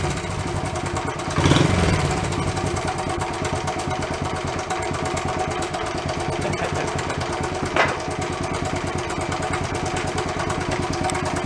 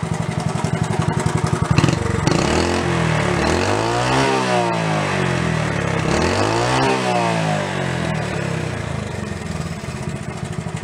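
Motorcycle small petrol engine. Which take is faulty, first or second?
first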